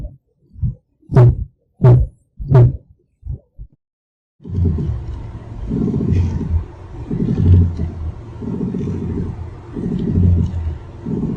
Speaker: Let's listen to another noise that can be heard from inside the car when operating steering wheel.